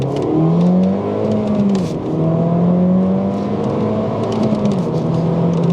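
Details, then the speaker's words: Freshly rebuilt R56 Mini Cooper S turbo engine, first drive, full-throttle pull in first gear into the limiter around 6750 rpm; rises smoothly, dips on shift, climbs again to flat top, no knocks: healthy acceleration. "think red line is around 6750 I want to say because it did it did definitely hit a limiter there"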